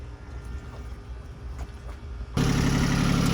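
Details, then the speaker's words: 1984 Island Packet 31 sailboat diesel, previously would not start, now catches after a quiet start and settles into a steady, even idle chug with no misses; engine running healthy. "Um you hear that sound? That's my engine running. That's my engine running."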